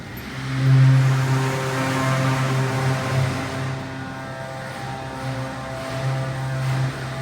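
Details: Original Montgomery hydraulic freight elevator #2, Santa Rosa Plaza, during a ride: low droning hum that swells and wavers unevenly as the hydraulic pump labours; the uploader attributes the struggling to severely low oil.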